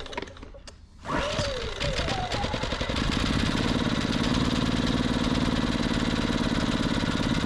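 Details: Westinghouse iGen 2500 generator after repair, choke checked fully open then off: pull, catch, settles within seconds into a steady even run with no surging; normal start and idle.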